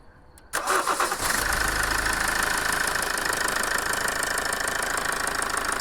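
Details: Toyota 2.2 diesel after replacing a faulty injector that caused rough idle and power loss: engine catches after a short crank and settles into an even idle with steady light clatter, running smoothly.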